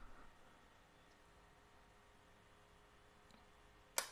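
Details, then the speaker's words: Yamaha NMAX (old) injector actuator test through a DIY DLC socket and scanner in a quiet room. Sharp isolated clicks, expected five times, as the injector fires on command: normal fuel injector click. "Sekarang mari kita coba injektornya. Baiklah, injektor, mari kita bertindak."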